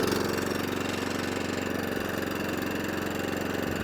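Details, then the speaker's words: Atco/Allett Kensington 14SK mower with a Kawasaki FJ100D that would only run on choke, after a full carburetor clean and fuel tap rebuild: steady, even single-cylinder putter off choke, no hunting or cutting out. "So, as you see, that's off choke now. That's running lovely."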